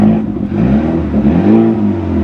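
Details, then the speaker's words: Auction car with missing muffler, charging malfunction warning, leaking valve cover gaskets smoking: harsh raspy blatty roar rising and falling with throttle blips; loud exhaust from the missing muffler. "God that's so bad why just why"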